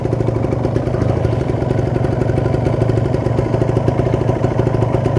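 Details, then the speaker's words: Warm 2013 Kawasaki Ninja 150 RR two-stroke, about 8 years old, idle stable around 1000–1200 rpm: fast, even rhythm, no misses or hunting; fully warmed and healthy, owner allows slight possible connecting-rod play. "tanda-tanda motor sudah panas ke rpm nya stabil diatas 1000 itu sekitar 1206tg teratur ya sudah menaik itu temperatur yang sudah naik ya gan"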